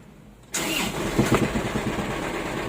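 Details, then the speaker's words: Isuzu 4JB1 truck diesel started and idling, clutch released: rough idle with a rattling clatter from the transmission that disappears when the clutch is pressed. "So yun, yung ingay na yun mga kachamba, narinig nyo yun. Yan, ang ingay na yan, no?"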